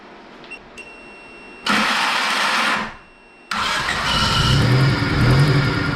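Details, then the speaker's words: 1990 Honda EF hatch on a jump starter, just after a blown head gasket was replaced. The radiator is busted and leaking coolant. It cranks briefly, catches, then settles into a steady, even run with no misses or knocks; running decently. "and it seems to be running pretty decent the only thing is it needs that radiator"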